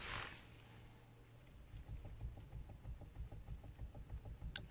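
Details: Lexus/Toyota steering column: steady dull knocking, about three a second, each with a short hollow click; knocks with the wheel in the upper position and stops when the wheel is lowered.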